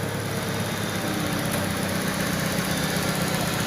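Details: Citroën, brought in for stumbling and loss of power around 2,000 rpm on petrol but fine on gas; 12 V supply now steady after the fix: smooth, even idle with no stumbles or misses.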